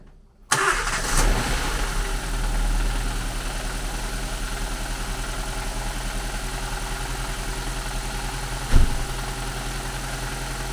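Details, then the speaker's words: Nissan Micra K12 (3rd generation) started after spark plug replacement, with the air intake housing refitted (possibly missing a rubber ring): quick crank, clean catch, brief flare, then a steady even idle with no misses. Normal start and idle. "So now let's start up the engine and make sure everything is as it should be, and it should sound an awful lot healthier."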